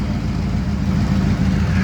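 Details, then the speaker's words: 1978 Chevrolet C10 pickup with a 307 V8 out of a 1971 Nova and a 350 turbo transmission: steady, even low rumble with regular firing pulses, no knocks or ticks; idles quietly and smoothly. "it's a 307 with a 350 turbo and it runs good I mean it's just to know it's out of a 71 Nova the 307 is but you can hear it's pretty quiet I mean it it runs good it's not a speed demon"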